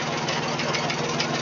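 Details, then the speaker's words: 1966 Ford 3000 tractor after carburetor rebuild, water cleaned from sediment bowl and fuel line purged, carb fuel leak fixed: fires right up into an even, steady low idle with no misses or knocks; normal idle. "I hit the key it fires right up idle's good"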